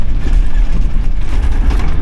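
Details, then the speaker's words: Toyota Troopy 4WD after heavy corrugations on Dirk Hartog Island, driving: irregular metal-on-metal clatter and knocks from the right rear; wheel nuts checked fine, cause not yet found. "My right rear is rattling quite a lot. I've checked the wheel nuts, it's all fine, but it's got that kind of metal on metal rattle."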